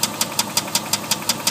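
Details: Dodge Durango 4.7 V8 at idle: sharp evenly spaced metallic knocks, five or six a second; rod knock on cylinder 2.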